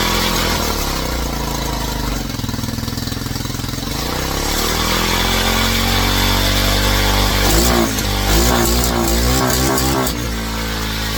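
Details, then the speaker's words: Old Tao Cheetah kids 125 ATV on a new PZ22 carb, needle clip lowered one position and in gear for light engagement: revving and settling with an uneven, pulsing note. A new noise of unknown cause. "Well, now we got something else. Curious what that is."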